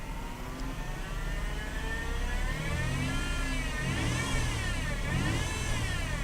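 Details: Mercedes SLK 350 (R171) with a high whine over the engine that rises and falls with revs; the air-conditioning compressor was shredding the accessory drive belt.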